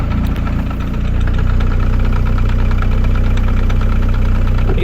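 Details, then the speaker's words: Land Rover idling while stationary with a steady low knock about three per second from the gearbox; second gear is suspected gone, not confirmed. "second gears gone making a funny noise knocking noise"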